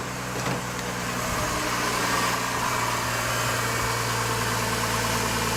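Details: 2004 Chevy Trailblazer after water pump and thermostat replacement, idling while the water-filled cooling system is burped. A smooth, steady idle hum with no knock or tick. The engine runs evenly and normally.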